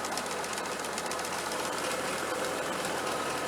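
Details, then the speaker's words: Allis Chalmers sickle mower converted to a 3-point hitch and driven by a tractor PTO, running up to about 1500. Fast, steady, even sickle clatter, belts not jumping, little vibration after smoothing out; normal operation. "running up to about 1500 belts not jumping real bad not a lot of vibration"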